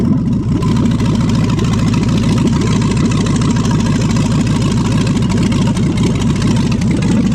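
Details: 5.3L LS swap engine running on an engine stand at first start, with a new fuel system using an external 300 LPH pump and a 58 psi filter regulator: it catches and settles into a fast, steady, even rumble with no knocks or misses.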